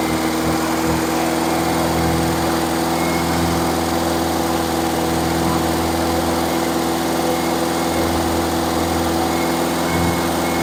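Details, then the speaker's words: Freshly rebuilt engine during break-in, after fixing a backwards-connected fuel pump and reconnecting the vacuum advance line: steady idle with constant hum and slight low wobble, no misfires; owner dislikes the idle and wants to adjust it up. "wow lost my screwdriver so I don't like the idle got nothing to hold that throttle with and maybe I can uh adjust that up get it started again"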